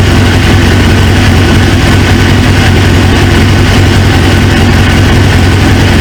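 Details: 1999 Suzuki GSX-R 750, newly installed used engine, restarted after reseating a pinched fuel quick-connect O-ring: steady low idle, constant exhaust drone, no misses or knocks; runs smoothly, owner then suspects an injector O-ring leak.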